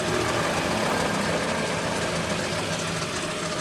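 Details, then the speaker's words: Van front wheel with the tyre removed, hub spun by hand: steady, coarse rumbling growl; worn front wheel bearing. "Quitamos la llanta, checamos por aquí y encontramos que el problema está en el balero. Al momento de al momento de girar se oye esa especie de ronroneo ronquido."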